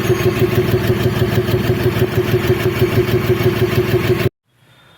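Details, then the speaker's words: BS6 diesel vehicle with no fault codes giving very low fuel average; steady rough knocking pulse about three per second over a heavy low drone, abnormal engine noise with cause not pinned. "तो friends, आपने देखा इस गाड़ी में कैसा आवाज़ आ रहा है। तो ये आवाज़ से ड्राइवर का कोई लेना देना नहीं, ये बता रहा है जो गाड़ी में एवरेज बहुत कम दे रहा है।"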